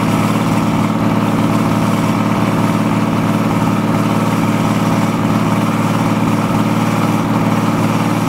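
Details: BMW/VM D190 marine diesel at first start after a rebuild following a broken valve, with a VM 2.4 liner, piston and head, chugs unevenly at about two to three pulses a second; air drawn in past leaking injection pump front shaft seal.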